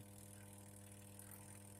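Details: Twin-tub washing machine, wash motor set to wash with timer at 5: steady low electrical hum, drum won't turn while spin-dryer motor works; capacitor suspected, to be replaced.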